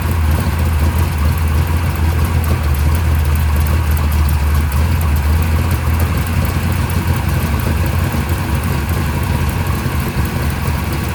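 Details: Mopar 580 stroker V8 first startup on run stand, mufflers fitted, timing 33 degrees, about 1,400 rpm fast idle, 65 psi oil pressure: deep steady smooth burble, no knocks or misses; healthy.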